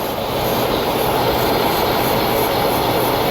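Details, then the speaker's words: 3.6 L engine idling higher than the normal 700–800 rpm with check engine light and code P0507; steady rushing hiss over fast idle, noise changes when hoses moved; vacuum leak at PCV valve hose. "ladies and gentlemen I hear a vacuum leak that is idling higher than normal I think normal what 700 800 RPM"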